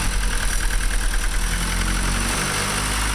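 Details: Honda Civic after head gasket replacement (OEM gasket, ARP-studded block), first start, cold: idle pulses unevenly for a second or so, then settles smooth; air-fuel 11.5 on cold start. Owner suspects the IEC, not confirmed.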